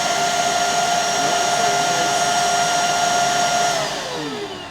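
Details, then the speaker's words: Bissell 3374 Pet Hair Eraser Turbo Lift-Off upright vacuum, plugged in and switched on: steady high motor whine with no brush sound; brush roll not spinning though it turns freely by hand, so the brush itself is not the fault; belt suspected. "So, it looks like the um the the brush is not spinning. I can get it to spin with my hands."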